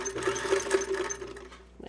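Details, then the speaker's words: Restored vintage Davis-made Unique sewing machine, just reassembled, foot pedal: light steady whirr and ticking at an even pace, hard to keep slow, then slowing to a stop; balanced stitch, running smoothly. "If it sounds like I'm revving the engine, it's because I'm trying to go slow. Not very successful."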